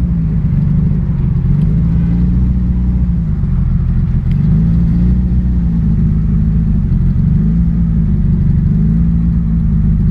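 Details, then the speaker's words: Turbocharged car driven over 100 miles with a sputter and power loss: loud, raspy low rumble with revs swelling and easing, from exhaust leak through a hole in the turbo downpipe at its bend, caused by bottoming out. "I've got a terrible exhaust leak pretty much from the downpipe from the turbo right where it bends to begin its way back"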